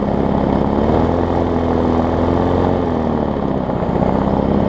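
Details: Murray push mower fitted with parts from a Bolens, first start after the swap: small single-cylinder engine running steady with an even buzz, speed settling smoothly, no knocks or misses; normal running.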